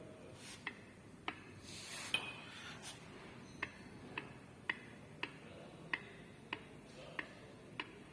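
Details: LADA Niva 214 with new front differential, complaint of loud clunk when driving and braking: old removed front differential's input shaft rocked by hand gives sharp light clicks about every half second, showing excessive backlash; differential condemned.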